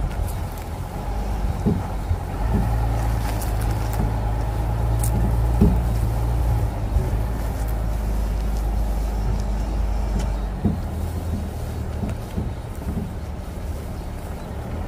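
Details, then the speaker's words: 2023 GMC Sierra Denali while driving: dull, irregular clunks from the rear frame area over the road rumble, present with the bed empty and the hitch removed, starting after a long trip; leaf-spring cross-binding is suggested but unconfirmed. "I heard this really weird clanking noise coming from the back when you sit inside of the truck it almost feels as if there's a small bowling ball rolling around and it's kind of hitting the sides of the back part of the frame"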